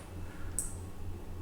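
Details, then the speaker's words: Raspberry Pi relay switched by an ultrasonic distance sensor, turning on when an object is under 20 cm away. A crisp relay click over a low steady hum, the relay going on and off cleanly; normal relay switching. "you can hear the clicking sound that means the relay is going on and off and on and off"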